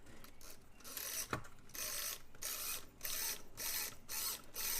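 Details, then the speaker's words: Vintage Sharp flip clock radio (c.1969–73) turned by its time-adjust wheel: irregular soft ratcheting clicks as the cards flip; the fine flip mechanism works normally and cannot be damaged by turning it the wrong way. "it's a very fine flipper. It also has a situation where you can't turn it the wrong way and cause problems"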